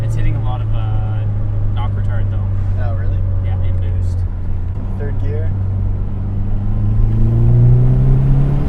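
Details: Mazdaspeed3 first start after a lower-mileage stock K04 turbo swap and high-flow cat downpipe, turbo primed with oil: fires and settles into a steady low rumble, revs rising smoothly near the end; clean healthy start.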